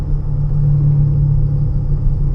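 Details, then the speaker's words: 2015 Honda Pilot, 64,000 miles, driven at 25–40 mph: airplane-like droning hum, louder steering left and quieter steering right, pointing to a worn driver's side wheel bearing. An AWD VTM transfer case was also suggested as a possible cause. "When you pull to the right, it kind of quieter. So on a bearing, anytime you pull to either side, increasing noise level, okay, that would likely the bearing."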